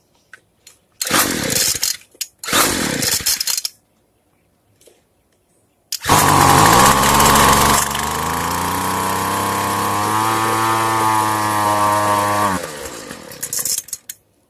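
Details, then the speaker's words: Two-stroke weedeater right after the carburetor reset (fuel screw closed fully, then opened 1/8 turn): it sputters in short bursts, then catches and holds a steady buzz that climbs slightly; running properly after carb adjustment. "Alright, as you see, the reset worked."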